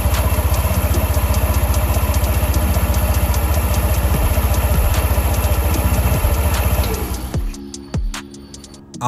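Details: TVS Jupiter 125 scooter idling after CVT service (variator and clutch nuts tightened) for handlebar vibration and low power: steady, even low thump, then shut off, under loud music.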